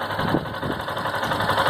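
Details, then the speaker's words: 2018 Yamaha Factor 150 single-cylinder, 6,000 km, idling with a fast light woodpecker-like tapping from the top end; others suggested the timing (cam) chain, cause unconfirmed. "e aí falo desse barulho aqui ó parece corrente de comando me falaram algo assim parecido"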